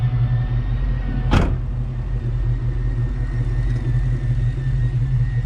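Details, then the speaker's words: Ford Mustang Cobra V8 after injector tuning, running in closed loop on the oxygen sensors with the air-fuel ratio dialed in: revs then settles to a steady, even low rumble at idle, no misses or knocks. "You can hear her just idle just as nice as can be. No problems."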